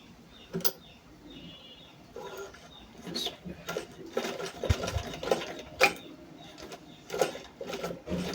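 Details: Sewing machine after servicing, tension plates checked, test stitching: uneven clatter with irregular catches and clacks instead of a smooth rhythm. Bobbin thread snags and breaks because the bobbin case is not meant for this machine.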